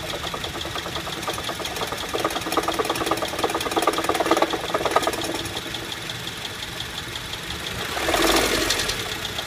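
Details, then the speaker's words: 2008 Honda Civic, noise from startup, worst when returning to idle after light revs: steady rapid metallic ticking-knock about three per second over the engine; AC compressor bearing went bad and later seized, fixed by replacing the compressor. "Normally starts as soon as I turn car on Light revs will make it more noticeable, then when I stop putting gas it gets horrible once it comes to idling RPMs this is the worst I have heard it"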